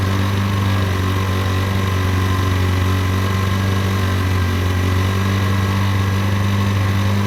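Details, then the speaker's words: Derbi 125 single, a former non-runner, after a carb service and fuel tank clean: a steady, even thrum with a smooth low beat and no misses or knocks; it runs healthy. "that's that's riding lovely guys"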